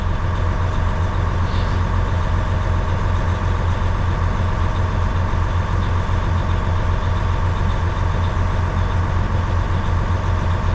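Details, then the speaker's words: 2012 Western Star log truck diesel idling while building air: a constant rushing fan roar never drops off; spring-loaded fan clutch stays engaged, with leaking seals suspected. "And we might just let it build air, because I mean, it should come up about 100 psi. That fan should shut off."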